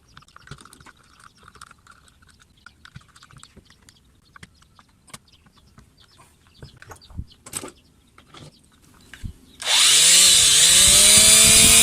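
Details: Electric planer after repair, belt reconnected: spins up quickly to smooth even high whine with no crackle; armature turns smoothly, sparking gone.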